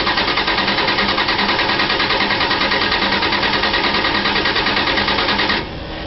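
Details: Engine at 38°F in mid-December that won't fire on its own below 50°F: steady, quick cranking at about three beats a second, with at most a slight sputter and no catch. Cold crank, no start.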